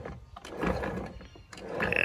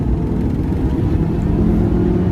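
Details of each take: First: Honda Element manual transmission, 260,000 miles, removed and turned by hand: uneven gritty rocky grinding, sounds full of rocks; worn gears/bearings from oil starvation after gear oil leaked into bell housing past seals and torn boot. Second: Honda Element, 260,000 miles, with its replacement manual transmission and new clutch: pulls cleanly through first to fourth with a smooth rising drone and no loud gear whine or grinding; gearbox healthy.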